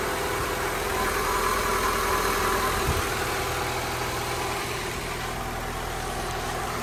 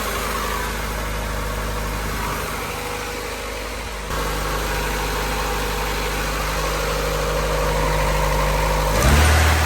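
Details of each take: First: Honda EK hatch, D16Y7 freshly refreshed (head gasket, water pump, timing belt, seals), settled after first start-up, idle about 1,300-1,500 rpm: fast idle easing down and steadying, even firing with no knocks, ticks or misfire; normal idle. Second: Honda EK hatch, D16Y7 freshly refreshed (head gasket, water pump, timing belt, seals), first start-up in neutral: slightly uneven, hunting idle with a step in speed. Owner first thought exhaust leak, then suspects burning off oil; irregular idle.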